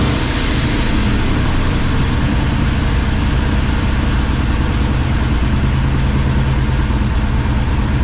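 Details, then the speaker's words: 1978 Chevy squarebody V8 with full roller rockers, just fitted with 3-inch exhaust and Flow Monster mufflers, first start; deep, steady idle burble, even beat, no misses, slight valve-train noise at the front considered normal; normal idle. "uh yeah seems to be running fine if you noticed when I walked around front there's a little valve train noise but if anybody's everever run full roller rockers they have a little bit of noise"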